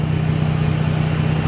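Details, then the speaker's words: Dodge Journey alternator test: after reconnecting the negative cable the idle is completely smooth and steady, no hunting, and voltage reads 14 instead of 13; steady low hum with even pulse, normal idle. "when i put it back completely smooth running idle's not going up and down it's just running normal battery pack went up to 14 instead of 13. and look at that it's a completely smooth idle"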